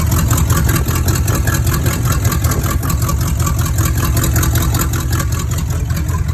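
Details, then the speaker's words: 1986 Cutlass V8 with a rebuilt Rochester Quadrajet 4-barrel, cold idle on choke, not yet warmed up: fast regular low thump, no misses or stumbles; choke working, engine healthy. "yeah that choke looked like it's working it open it on up but it ain't quite warmed up yet"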